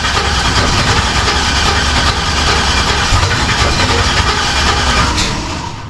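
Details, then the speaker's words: Turbo LS Camaro, crank no start: loud steady cranking at about three beats a second that never catches and trails off; no injector signal, injectors not firing. "Okay. I got no signal. Okay. So, injectors, no firing, correct?"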